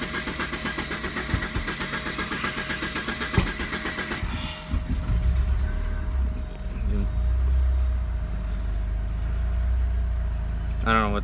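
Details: 1988 Porsche 944, DME relay jumped, AFM unplugged: starter churns unevenly about four seconds before catching to low idle; dies when throttle moved or AFM reconnected; owner suspects large vacuum leak or failing AFM.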